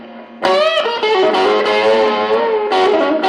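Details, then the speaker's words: Mid-1980s Peavey Backstage Plus 35 W amp with a 1985 Ibanez Roadstar II, after cleaning the pots. Steady overdriven notes with no dropouts; the saturation circuit no longer cuts out. Slight scratchiness remains. Normal output. "all right sounds better we weren't getting that before because that saturation was cutting out as soon as we're going through the saturation circuit so everything's real quiet"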